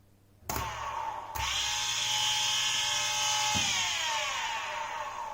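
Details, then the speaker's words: 24 V DC motor powered by a homemade 48 V, up to 35 A DC power supply built from UPS and inverter transformers: spins up with a hum to a steady, even high whine, smooth with no knocks or rattles; running normally. "Working pretty good."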